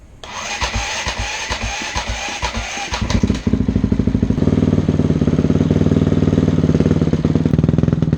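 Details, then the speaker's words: Honda CRF250X after fire-damage rebuild, aftermarket exhaust and cut airbox: ragged kicks catch, then uneven hunting idle that stumbles; runs lean, only on choke, carburetor needs a larger pilot jet. "It is just barely running. And so the reason I say it is running, but running poorly, is we still need to adjust the carburetor. It won't run without the choke, which is just telling me that we need to go even larger on the pilot."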